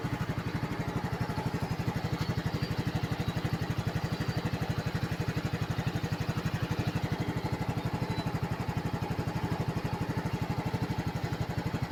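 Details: Yamaha scooter restarted after being driven through floodwater that wet the air filter, spark plug and kill/stand switch: steady, even low putter at idle, about four beats a second, running normally again.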